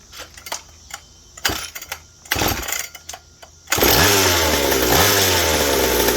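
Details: McCulloch 790 chainsaw frame with MC101 kart engine, new header and pipe, 3D-printed carb adaptor and intake gasket: handling knocks, then starts and screams to a clean steady high rev with no burble; won't four-stroke, lean on high speed (suspected).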